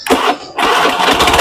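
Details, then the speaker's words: 2014 Honda Beat FI scooter whose starter would not work: after replacing the starter relay, a quick relay click, then a brisk, steady whirring crank without grinding or hesitation, confirming the faulty starter relay was the cause. "ya relnya bunyi dan juga dinamo starternya juga bunyi ketika kita sudah ganti di bagian sini"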